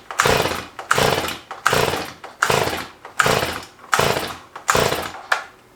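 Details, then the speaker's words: Stihl MS211 chainsaw under restoration, test fire: eight pull-starts, each a short rasping turnover with no catch; won't fire, too much fuel, too little, or not burning suspected. "these little engines are very simple and i was starting to figure out that it just wasn't going to catch there are only a couple options to address here now either it's not getting enough fuel it's getting too much fuel or that fuel is not getting burnt for some reason"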